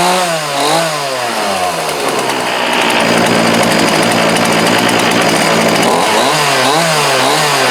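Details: Homelite D3850B 18-inch chainsaw, after a new carburetor, fuel lines, fuel filter and spark plug, in about 19-degree cold: crisp two-stroke revving up and down cleanly with no stumbling or fuel starvation; runs great.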